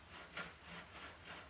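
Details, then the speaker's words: 1965 Yamaha YDS3 steering head: quiet gritty rasping with each sweep of the bars, because sandblasting got past the tape into the newly greased bearings; the steering head must be taken apart and the bearings cleaned of sand. "it's not a good thing so we got to take it apart clean it putting all the bearings get all the sand out"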